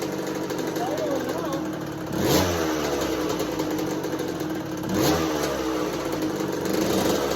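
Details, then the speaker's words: 1986 Kawasaki KX125 two-stroke in neutral with choke held up and a new NGK BR10EG plug. It buzzes, needing two sharp throttle blips to stay alive, and won't idle; the new plug didn't fix it. "It's fired up right away, but the spark plug did not cause our or fix our problem."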